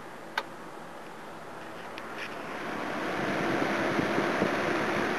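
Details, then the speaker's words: 2400W or 1800W 240 V electric heater fan after cleaning, painting blades and lubricating the motor bearings: winds up into a smooth, even whoosh with no ticking or scraping; spins freely, like new; normal fan operation. "yeah just like new again"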